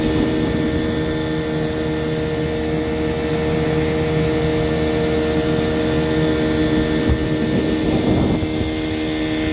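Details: 15 hp Johnson outboard after a new lower-unit water pump and greased spline shaft: steady, smooth, unbroken idle note with no knocks or misses; it idles right down and goes into reverse, sounding healthy.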